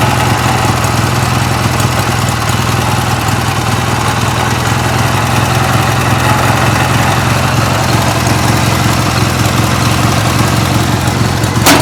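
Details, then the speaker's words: 1980s Sears Craftsman II garden tractor, Briggs & Stratton 18 hp twin, after carb cleaning and a new starter: low, even burble with a steady deep pulse, Harley-like, no misses or knocks; normal idle. "really like this Briggs and Stratton twin as you can hear that thing is it almost like it sounds like a little Harley uh pretty cool man nice and low"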